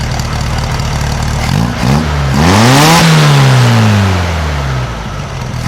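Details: 1956 VW Beetle flat-four with brand new carburetor, after valve readjustment to 0.006in: crisp free revs climbing smoothly and settling back without misses or knocks; healthy, well-tuned engine revving.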